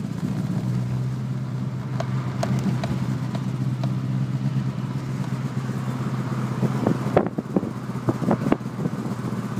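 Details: Renault Clio 172 Cup, cold engine: steady low drone broken by irregular sharp clacks and stumbles, worse toward the end; misfire when cold.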